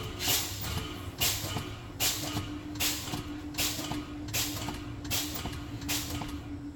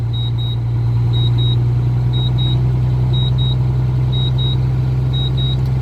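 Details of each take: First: Truck air brake test at idle: sharp air hisses about every second as the brake pedal is pumped over a steady low hum, bleeding air down toward 60 psi to check both low air warning lights; normal pump-down. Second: Air brake test with the truck's diesel idling: high, sharp double beeps about once a second from the low-air warning buzzer, which sounds, along with the warning lights, while air pressure is below about 90 psi.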